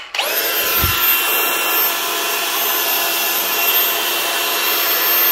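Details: Milwaukee M18 ONESAG115XPDB brushless cordless grinder after replacing failed bottom rotor bearing with a 605 bearing: smooth steady high-pitched whine at even speed, no rumble or rattle; normal run.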